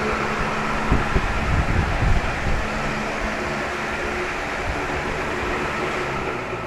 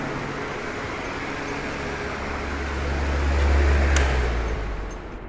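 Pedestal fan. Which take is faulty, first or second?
first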